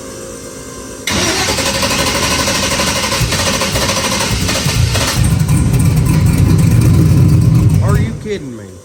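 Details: Truck converted to 16-volt with no spark, ECU set to fire on crank sensor only, ignoring the cam sensor below 2,000 rpm: steady, fast cranking for about seven seconds, never firing. Cam sensor failure or voltage interference suspected; crank no-start.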